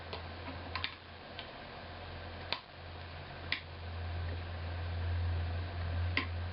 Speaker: It's down too far now. I could hear it make a quick a clicking sound. It was a really, really, really quiet clicking sound, but I've moved it down too far.